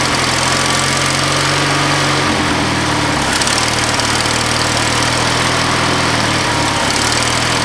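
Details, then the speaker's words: Lawn mower, first start at about half throttle with full choke: it pops then holds a steady, even beat with only brief dips, running normally. "Oh, we got a pop. It ran good. That sounded really good."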